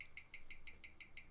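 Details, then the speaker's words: 1997 Omega Speedmaster Professional, caliber 1861, on a Weishi 1000 timegrapher; crisp, evenly spaced ticks at about six a second with a steady beat and no stumbles. Rate of plus six, moving into the plus five range. Normal watch tick. "it's still running at plus six I would say that this is pretty good for what it is"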